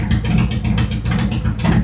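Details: 2018 Harley-Davidson Road Glide, Milwaukee-Eight 114 that ran hot with poor mileage, after repair, Cycle-Rama CR480MT cam install and ThunderMax re-tune: loping, even V-twin idle with a steady low potato-potato beat, no ticks or knocks; sounds healthy.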